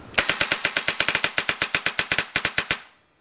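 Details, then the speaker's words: Dangerous Power FX paintball marker dry fired after disassembly and lubing, with air connected; crisp, evenly spaced pops about eight a second, no hiss between shots, no leaks, working fine; any odd sound attributed to running low on air. "Sounds like it's working fine. That's just because I'm running out of air, but yeah."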